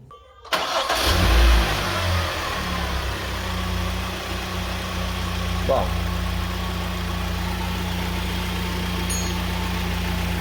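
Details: After repair of a belt-drive tensioner/pulley that previously locked and knocked: engine starts, flares briefly, then settles into a smooth, steady idle with no knocking from the belt drive; normal idle.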